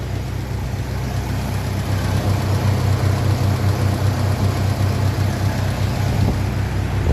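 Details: 1957 Ferguson 35 TVO tractor idling while warming up, with rocker shaft replaced and valve clearances just reset after inlet clearances had grown large; low, even thump about 160 beats a minute, only a faint tappet tick; normal idle.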